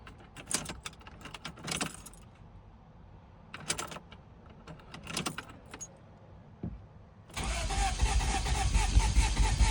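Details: Toyota Celica after head gasket and timing belt job, crank-no-start that took about three hours to diagnose before it ran: starter turns over in short bursts then one long steady crank, never catches; crank no start.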